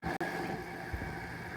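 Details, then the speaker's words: RV air conditioner fan motor with dry bearings: steady whirring drone with a thin, dry whine on top; the motor is being replaced with a matching motor and capacitor. "Okay, so this is what this motor sounds like with dry bearings."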